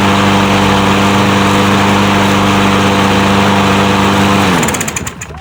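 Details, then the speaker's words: Troy-Bilt 150cc mower engine after bolt tightening and linkage fix. Starts on the first pull and runs at a steady, even drone for about four seconds, then winds down cleanly. Normal running. "and that's the first pull so this thing is good to go"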